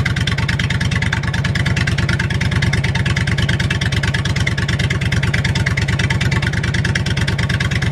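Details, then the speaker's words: Propane-fueled generator in a school bus motorhome conversion, muffler not fitted; loud, sharp, even popping at a steady fast idle, Harley-like, stop switch not working: loud unmuffled exhaust. "yeah sounds like a Harley okay we're getting ready to fire up Mah Harley again that's what it sounds like without the muffler connected you ca"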